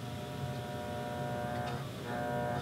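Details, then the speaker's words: 1950s Heathkit W5M tube monoblock amplifier with new filter and coupling caps, preamp removed, drawing too much current; low, steady buzzing hum with even overtones, suggesting 60 Hz mains ripple; caused by a cold solder joint in the filter. "yeah, that's not good. You definitely don't want that in your tube amplifier. And that could really be many things."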